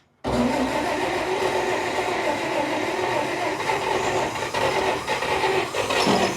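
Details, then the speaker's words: 1947 Dodge pickup abandoned 33 years, tank likely drained, on poured-in fuel: catches and idles rough but steady several seconds, then falters; no fuel supply hooked up. "Boy, you can tell you ought to hook some gas up to it. I bet it'll run."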